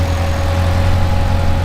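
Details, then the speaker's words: 2007 C6 Corvette Z06 LS7 with a K&N intake, Borla exhaust and a tune, at first start-up after fresh AI cylinder heads were installed, before dyno tuning: a deep, even V8 idle with a steady low rumble and no knocks or misses. Sounds healthy. "First start up, sounds good. Everything's looking good, so this thing's ready for the dyno."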